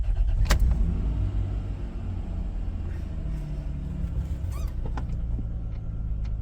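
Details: 1998 Isuzu Rodeo after replacing a starter motor that would not crank: short crank catches quickly into a low, even engine rumble with no grinding or clicking; new starter works properly.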